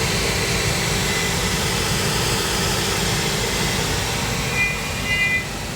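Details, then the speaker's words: Trane gas rooftop unit (RTU), negative-pressure gas valve with manifold pressure bouncing around 0.0 instead of -0.2: a steady droning howl starts over the rushing airflow, the combustion blower howling from incorrect gas manifold pressure. "And here it's starting to howl."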